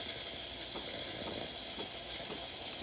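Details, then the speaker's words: Breville Barista Express after full service, steam wand test after the thermoblock heats up: pump kicks on, then a steady strong airy hiss with faint soft pump pulsing; normal steam wand hiss. "and you can hear the pump start to kick on so now it's going to really ramp up steam"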